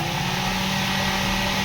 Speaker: आप ये देखिए बिल्कुल आवाज नहीं करेगा। खाली ये स्पीड की आवाज है इसमें।